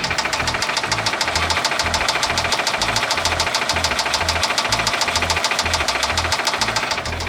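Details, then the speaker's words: 2009 Subaru Impreza 2.5i, SOHC EJ253 flat-four at idle: sharp, steady knock about three and a half per second; owner suspects a spun rod bearing in an unknown cylinder, not confirmed. "you hear that that is the sound of a spun bearing in one of the cylinders i have no idea where it is but that's bad"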